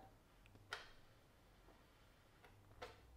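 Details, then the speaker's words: 1980s Hitachi TRK-8800 radio cassette boombox before repair: two faint sharp clicks as the set cuts out on mains power, though it is fine on timer standby and the AC light stays on; intermittent ticking with power loss, power supply fault suspected. "yeah died now totally died now there is still the AC power light on right okay so what have we got if I put it on timer standby it's okay if I put it onto Main's p power it kills it so we' got an issue there with the power supply"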